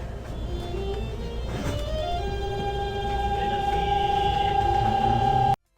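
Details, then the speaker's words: Keikyu N1000 "doremifa" inverter driving a train traction motor: clean musical hum climbing in stepped notes as it pulls away, from motor iron core vibration; normal inverter singing. "It's from this motor that we have here. The motor is attached under the train car. To rotate the motor, a voltage is applied to the motor. Then, the iron core inside the motor starts vibrating."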